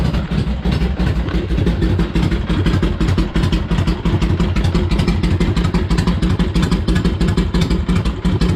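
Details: Harley-Davidson Ironhead after pushrod adjustment and primary drain: it took a few kicks from cold, then settles into an even, loping V-twin idle with a solid thump and no ticks or knocks. Healthy.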